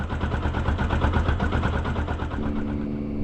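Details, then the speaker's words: 2012 Yamaha YZF R125 showing fault code 46, only runs on a jump pack: uneven, lumpy idle that stumbles, with engine tone changing when the jump pack is removed. Rough running, likely a battery or charging fault. "Oh my gosh. You can hear the change in the engine tone, when I take the jump pack off."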